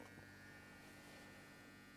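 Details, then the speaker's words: Home-built ported bass-reflex studio monitor with JBL drivers, nothing playing: constant low hum with a faint buzzy edge, steady and unchanging; electrical speaker buzz, capacitors doubted as the cause, cause unconfirmed. "I have a feeling it'll probably still Buzz let's see maybe not buzzing well so that didn't do"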